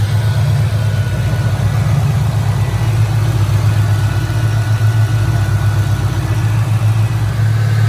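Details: Fox Body with built 2011 Coyote 5.0 (forged AMS block, stock heads/cams), supercharged, first fire-up: deep smooth even idle, steady low rumble, no knocks, misses or whine; healthy at rest.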